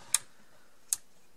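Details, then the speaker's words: Toshiba RP 1520M portable radio after cleaning and lubricating the switch mechanism: three crisp, clean clicks about half a second apart as the off switch now snaps positively into the off position; normal switch click. "that does click when it's off now okay so that did help a little bit you can kind of hear it clicking when it goes to the off position now"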